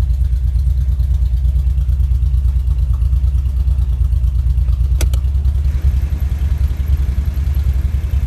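Low idle with an uneven, lumpy pulse about ninety times a minute and a brief rev; sounds like a misfire, cause unclear.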